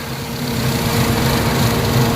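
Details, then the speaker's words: Toyota Vitz engine vibrating at idle: heavy low throb that swells and wavers unevenly instead of running smooth. Rough idle traced to the VVT (variable valve timing) solenoid, toggled via engine scanner; mechanic thinks it still works but will remove and clean it. "So yun po yung kanyang solenoid kailangan po siyang linisan or palitan pero sa tingin ko gumagana pa naman siya pero ah lilinisan na natin guys so kaya nagkaroon siya ng ah panginig ang kanyang engine"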